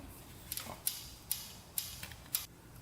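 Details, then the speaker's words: 1977 Honda Z50 that won't start, engine turned over by hand: sharp light clicks about twice a second from very loose valve, intake clearance far above the 0.003 in spec; valve lash tapping before adjustment. "and that valve is loose right there very loose see what those adjustments are and adjust those but you can see how loose they are in there you can hear the knocking"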